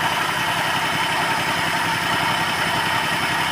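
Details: Maruti WagonR petrol/CNG running on petrol at idle, test light probing injector circuit: uneven, lumpy beat with irregular low thumps; cylinder misfire, fine on CNG.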